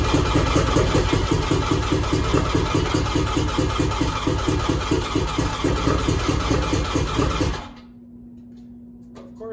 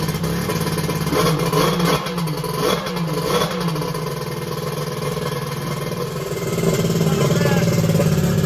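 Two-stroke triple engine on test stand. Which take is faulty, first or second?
first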